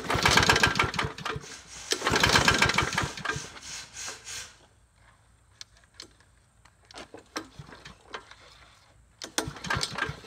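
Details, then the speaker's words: Troy-Bilt mower bought cheaply, likely stale gas, choke forgotten at first: repeated pull-start attempts with ragged firing bursts dying away between tries, won't catch; engine possibly worn, cause unconfirmed. "oh wait man you got to choke it I forgot she's not a starter she not a starter"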